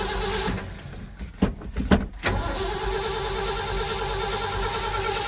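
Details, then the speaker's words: 1978 Ford F-150 cranking: uneven cranking bursts for about two seconds, then it catches and settles to a steady idle. It just needed more throttle pumps to prime the carburetor. "Flooded or did I disable something? Did I unhook something? Let's go check. Okay. Just needed some more pumpage."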